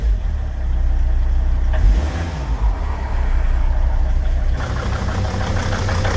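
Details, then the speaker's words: 2003 Volvo XC90 D5 diesel on cold start: after a tiny throttle blip, normal idle turns lumpy and chugging, running on four cylinders, heard at the exhaust end; misfire under investigation with leak-off test. "it's now chugging. If I take you around to the exhaust end, you can hear that misfire as well."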